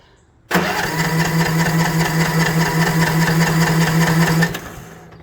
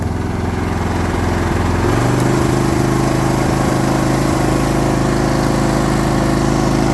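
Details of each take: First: Troy-Bilt TB42 lawn mower after carburetor adjustment, choke on: starter spins steadily about four seconds with no puffs or firing; cranks without starting, little to no compression previously measured. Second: Previously non-running Troy Bilt TB42 lawn mower after a new ignition switch and new battery, started on choke then choke off, throttle down: steady, even engine beat with a low throb and no misses or knocks. It now runs normally.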